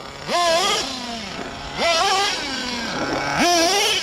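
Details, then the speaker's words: Nitro RC with a .21 SH engine on 30% nitro, 10% oil fuel: revs climb, stall and sag back under load when trying to engage second gear. Lots of smoke, so not lean; tuning hasn't helped. "I really like the low-speed driving the low-end torque of this 21 SH it's nice but listen to this yeah it just bogs down no matter what I do whoa"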